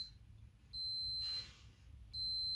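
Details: Logitech G910 W key switch on continuity tester: steady high beep cuts out about three quarters of a second mid-press when pressed slowly, then returns; dead spot causing double taps, a physical switch fault.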